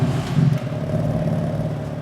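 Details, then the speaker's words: BMW M3 in San Marino blue, low on fuel, started with camera at the rear of the car; deep, strong rumble flaring briefly after catching, then settling to a smooth, even fast idle with no knocks: normal cold start. "Yeah, sounds incredible."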